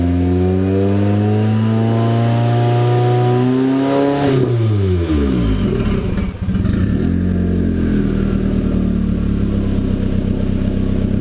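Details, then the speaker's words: Nissan 240SX S14 KA24DET turbo build, first startup after installing 550cc injectors, blow-off valve, wideband and ECU, no load: revs rise smoothly then pitch sags and wavers, nearly stalls; stumbling when revved, possibly rich. "but seemed to be stalling out or wanting to stall out when I was revving it a bit there"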